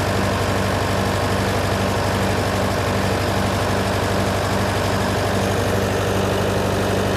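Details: John Deere 401C diesel idling in neutral, with a cracked block and suspected liner O-ring leaks. Slightly lumpy, uneven beat under a steady drone. By touch, cylinders 1–3 are hot but 4 is stone cold: a dead cylinder.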